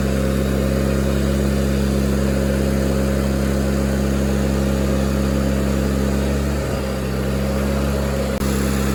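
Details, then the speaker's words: Miller Bobcat 225G welder-generator, idle for years, after starter solenoid, ignition pickup, alternator, fuel pump and fuel line repairs, while welding: steady drone dips briefly as welding load comes on, then recovers cleanly; the welder works, good to go. "So, my main concern was that that welder worked, and it did. So, we're good to go."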